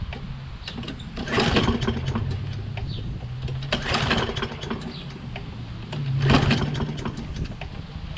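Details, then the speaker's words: Toro Recycler mower, Kohler XT675: starts after a couple of pulls, runs okay 5-10 seconds, then chugs roughly, surging up and down; owner suspects very low spark or the carburetor (previously cleaned); magneto swap, carb rebuild and governor reset follow. "then it runs okay for about five or ten seconds and then it just goes it starts uh hesitating up and down up and down and it sounds very rough almost like the spark is very very low"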